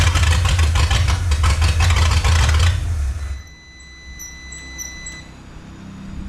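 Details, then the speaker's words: 1954 Chrysler New Yorker 331 Hemi, over 50 years in a salvage yard: heavy lumpy thumping for three seconds, then it shuts off; carburetor pouring fuel while running, owner suspects sticking float, needs rebuild and tune-up. "Well, it runs, folks. Not real happy. Take this off. Flying all over the place. Pouring fuel."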